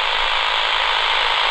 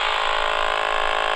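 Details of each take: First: Flymo 1200R robot mower boundary wire cut by contractors, traced with a cheap AM radio; strong steady rasping buzz over radio hiss near the cable, signal fading where the break is. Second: AM radio held near the Flymo 1200R robot mower boundary wire at the base station gives a loud, unbroken raspy buzz; signal strongest at the source while tracing a cable break cut by contractors.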